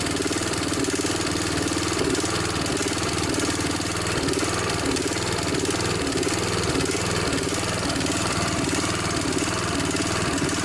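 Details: Snapper SR1028 riding mower, Briggs & Stratton flathead, warm with air filter fitted, before mixture screw adjustment: steady run with a faint slow pitch waver; sounds pretty good, slight surging stutter noted.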